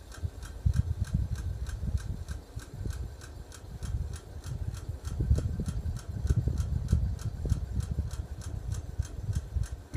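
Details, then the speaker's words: About 10-year-old 42-inch Walmart hugger ceiling fan on high: crisp regular clicks about three per second over a soft whoosh, fan wobbles slightly; owner suspects bearings, source unconfirmed. "it is pretty noisy and it does click - I don't know what the clicking noise is coming from probably the bearings but it could be wrong"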